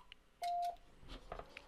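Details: Icom IC-7300 internal antenna tuner, asked to tune an antenna beyond its 3:1 SWR range, keys briefly with one short mid-pitched beep and faint clicks but no relay chatter; the tune fails without trying.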